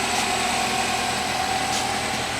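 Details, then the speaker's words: 2018 Nissan Altima 2.5 four-cylinder, 35,000 miles, idling under the hood in the shop: steady, even hum with no knocks, ticks or misses; healthy idle. "Hear it running there. Little 4-cylinder. What is this? A 2.5?"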